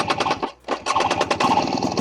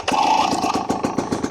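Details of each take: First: 2024 Husqvarna TE250 TBI two-stroke, unstarted for a while, at nearly 5,000 ft elevation: stumbles, then crackles and pops with ragged revs; a wrong start or warm-up on these bikes tends to foul the plug. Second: 2024 Husqvarna TE250 TBI two-stroke dirt bike, second cold startup after sitting a while, at almost 5,000 ft elevation: catches quickly, settles into brisk even popping, much better than the first start; normal.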